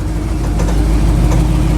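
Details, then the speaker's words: Jeep CJ7 Scrambler off-roader with NV4500 and Atlas 2 transfer case, on a test drive after the mystery noise was traced to the rear driveshaft double cardan joint. Steady, even road rumble with no clunk or whine; noise gone. "Yep. Noise is gone. It's the rear drive shaft."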